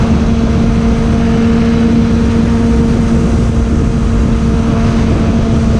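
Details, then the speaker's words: 2002 Suzuki Bandit 600 (GSF600) inline-four, stock jetting and exhaust, new plugs, PAIR delete, on a ride: strong, steady drone pulling cleanly under load with no stumble or misfire over road noise; healthy. "Been able to hear it fucking screams now. No hesitation at all."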